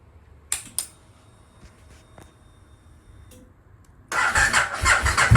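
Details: 2002 Aprilia RSV V-twin barn find, stored 8 years, after contaminated fuel and injector cleaning, first start with fresh oil and filter, watching oil pressure light: few clicks then fires and settles into a lumpy busy idle; normal start and idle.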